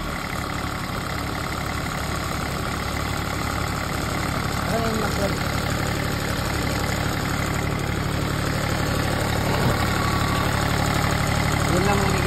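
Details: PC10 excavator diesel brought in for not starting. It holds a steady idle at about four beats per second, but bubbles in the fuel return show air still in the system and it runs weakly; running, not yet fully bled.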